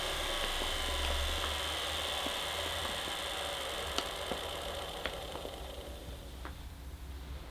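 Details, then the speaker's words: 1975 Hoover U4034 Ranger Senior vacuum with the belt released, motor running alone: a steady, even hum with a faint whine and no grinding; the motor is fine, and the noise comes from the agitator, likely very worn bearings. "so yes as I suspected I think the motor sounds fine to me so the whole problem is in this"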